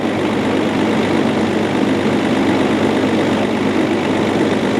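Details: Range Rover P38 idling after the crank pulley and water pump were replaced: an even, smooth, steady hum, much smoother than the rough running before.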